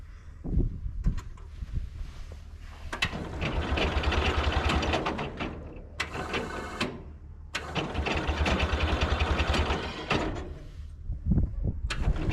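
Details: International Cub Lowboy 154 after coil, points and condenser replacement and refitting forgotten distributor rotor: cranking bursts, then engine catches and runs unevenly with loud surges before settling; ignition firing, normal start and idle.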